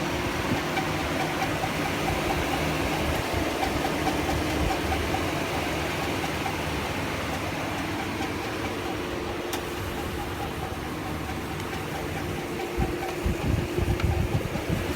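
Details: 2005 Chevy Silverado 5.3L V8, 138k miles, idling with a steady mid-pitched internal squeal that persists with the serpentine belt removed; two mechanics diagnosed a bad main bearing, unconfirmed by teardown, possibly lifter or cam.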